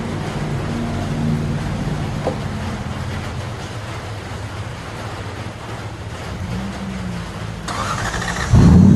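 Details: Lexus LS400 1UZ V8 after water pump replacement: a steady, even, low hum with no knocking or ticking, running smooth and settled.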